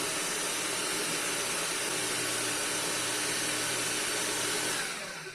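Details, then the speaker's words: Paper shredder with paper bound in the cutter head: a sheet inserted without touching the cutters, motor runs with a steady high-pitched roar and hissy shredding for about five seconds, then eases as the jam frees up. Paper jam in cutter head. "Just take a piece of paper and just stick it in there far enough to where it will run, but the paper will not touch the shredder. And let it run. And then you'll hear that it frees up."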